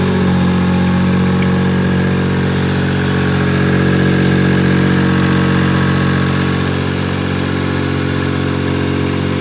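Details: Cub Cadet 2182 tractor after replacing misfiring Champion spark plugs with the same model: steady, even idle with a constant low hum and no skips or stumbles; runs smoothly now.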